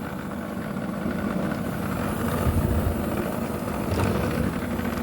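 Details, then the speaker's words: Portable air conditioner (Hens brand) found discarded, switching off frequently; possibly an overheating compressor from a dirty condenser. The compressor starts on its own with a loud, annoying, low rough drone and uneven rattly buzz. "Ahí arranca el compresor, solito arrancó. empieza a hacer un ruido bastante molesto."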